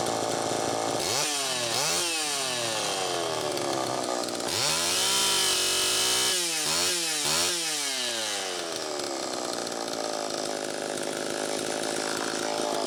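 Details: Homelite Super EZ chainsaw test run after carburettor repair, high needle reset from about four turns out to one turn: revs up and down in surges, whine climbing, sagging, briefly hanging; lean, crankshaft seal suspected bad.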